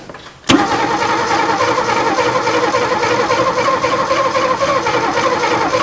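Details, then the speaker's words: Abandoned 1961 Ford Falcon, oil checked, distributor not loose, vacuum advance not connected, choke opened a little and then tried wide open: the starter churns for seconds and the engine tries to catch but never fires, while the battery starts to die. "yeah well it sounds like she's wanting to come come on oh come on come on come on come on come on ah try wide open now"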